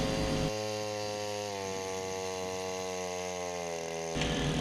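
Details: Wick 100G fire pump's single-cylinder engine idling at least a minute to cool down after pumping, before switch-off: steady, even, smooth unchanging beat with no knocks or misses; normal idle.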